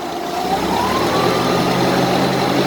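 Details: Propane-fuelled Mazda engine in a Yale unit that earlier cranked but would not start: the engine note climbs smoothly as the throttle opens and settles to a clean, steady run; normal revving, fuel delivery sounding healthy.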